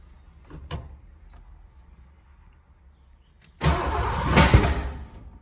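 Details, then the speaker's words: 1986 Ford Mustang Foxbody after head and intake work, new throttle body, distributor moved one tooth back: weak cranking, then a rough stumbling catch that flares and dies instead of settling; plug wires were in the wrong firing order. "That didn't Sound good. Hi, I'm Dan, and I'm pretty sure I'm an idiot."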